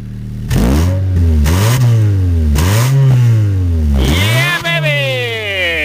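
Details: 2007 Honda Fit, 200,000 miles, drive-by-wire, after service: engine revs up and falls back cleanly several times, pitch following the throttle with even firing and no stumble; healthy engine.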